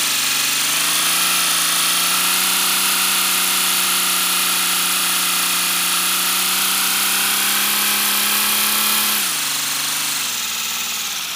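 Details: First-build 3D-printed PLA V12 model engine on compressed air, freshly lubricated, no exhaust port yet: steady rapid whirring hiss whose pitch climbs slightly, then drops and slows near the end; running smoothly.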